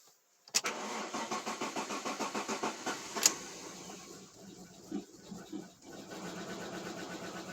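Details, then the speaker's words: Alfa Romeo 156 Busso V6, first start after about three years with the fuel lines briefly disconnected: about a dozen even starter pulses, ragged firing while air clears the fuel system, then it catches on all six cylinders. "the fuel lines was disconnected just a little bit yes it's it catched for all six cylinders and air from the air from the fuel system is out and after few years first starts okay"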